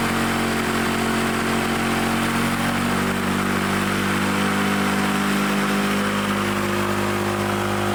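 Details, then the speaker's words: Lawn-Boy Loafer front mower two-stroke engine, needle set about one and a half turns: a steady, even buzzing drone without surging. It runs properly, but the kill wire won't shut it off. "but it runs we got running didn't need much again"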